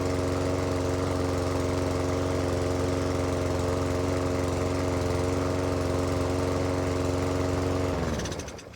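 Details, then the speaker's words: Lawn mower engine started after three primer pushes on the first pulls of the season, with brand new oil and new petrol. Steady, even single-cylinder drone with no knocks or misses, then a clean shutdown: normal running. "First pool of the season. Not bad going. Well, third pool maybe. Brand new oil, new petrol."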